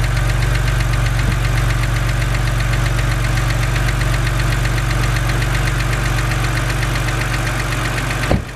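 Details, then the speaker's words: BMW 130i with N52 engine, bonnet open at idle: fast, light, even ticking keeping pace with engine speed, the well-known N52 hydraulic lifter tick, said to be harmless but annoying. "so as you guys heard that is the infamous BMW n52 ticking noise now I just want to say that this noise is not harmful to your engine in any way"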